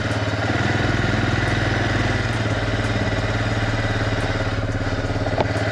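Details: Suzuki Eiger QuadRunner four-wheeler, cold start after sitting about a month, in reverse with a little throttle; steady single-cylinder idle, even low thumps about three per second, no misses or knocking; normal idle.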